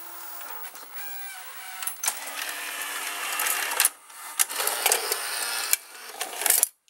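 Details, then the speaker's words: Sears Betavision Beta VCR model 30214, after idler tire and small belt replacement, 65% humidity: light uneven ticks over faint tape-transport whir as the tape plays; tape ticking, so a different tape is tried. "the tape is ticking so now we are going to try a different type"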